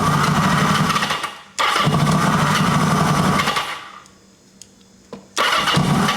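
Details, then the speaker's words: 1980 Kawasaki KZ750 with a fuel leak at the fuel line and an unconnected red lead: it fires right up while cranking, then dies each time the start button is released. Owner suspects a spark or wiring issue; not yet found. "Man, it sounds like it's firing right up, though. Then I let go of the start button and we lose it."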